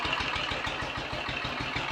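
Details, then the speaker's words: Royal Enfield 500 ASBO 36 single after top-end rebuild, ignition timing backed off slightly and carburetor throttle stop and mixture screws adjusted: starts straight into smooth, steady warm tickover, even thump about eight beats a second, no misses or knocks; healthy. "the goodies and starter and straight into a most smooth steady ticking over I'm very happy with that"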